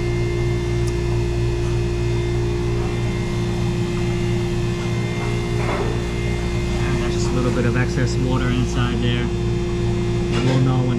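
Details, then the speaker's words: Hoshizaki ice maker after drain pipe retrofit with ProPress fittings: constant low smooth compressor hum at startup, steady with no clatter or short-cycling; compressor running normally, pipe heats up. "When the compressor starts, this pip is going to get hot. You hear that? Compressor started."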